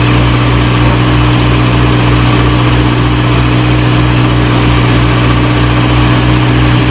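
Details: 1937 Morris 8, 918cc pre-war engine, first run on choke during recommissioning: steady low idle, smooth even beat, no knocks or ticks; about 75 psi oil pressure, slight smoke from oil around the valves burning off.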